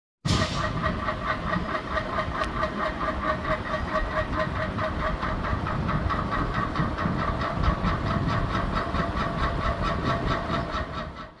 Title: সিলিং ফ্যান যে কারণে শব্দ করে || Ceiling fan bearing problem.